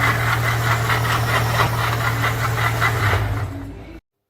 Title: This NOISE in the car ENGINE indicates that there is a PROBLEM with the WATER PUMP